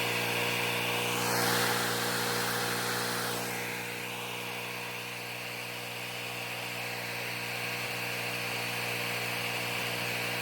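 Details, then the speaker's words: Pressure washer engine running after an oil change and filling the pump with 1 quart of non-detergent 30 weight oil; the machine runs about 450–500 hours a year. Steady, even buzzing run at constant speed, no surging, knocking or stalling; owner assumes it's fine. "All right, we're gonna go with that. I'm gonna make an assumption that it's working just fine."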